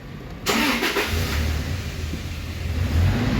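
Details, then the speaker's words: 2014 Toyota Hilux that started then died, all four ignition coil codes set from carbon and water; after fix and code clear, quick crank, catches and holds a steady even idle; normal start, no trouble codes. "अब अल्हम्दुलिल्लाह हमारी गाड़ी यहाँ स्टार्ट है। पहले जैसे स्टार्ट करते थे साथ ही हमारी गाड़ी बंद हो जाती थी।"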